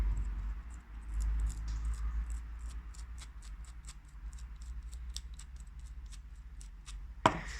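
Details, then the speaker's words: Old clutch release bearing from a Volkswagen Polo 9n 1.4 TDI, removed during engine replacement and spun by hand: gritty, irregular crunching ticks from a burned-up bearing throwing its grease and packed with dirt. The car juddered badly at low speed. "can hear it so crunchy it's quite it was quite burned up as well you can see that it it's not really in great condition it's throwing all its grease its collected loads of dirt sounds really gritty"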